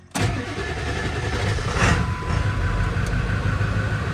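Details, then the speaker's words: High-mileage early 1999 Ford 7.3 Powerstroke diesel, cold start after one wait-to-start glow cycle: brief crank, catches at once and settles into a steady, even diesel clatter at idle; healthy cold start. "Wow, she went right off. Interesting. Nice. I like it."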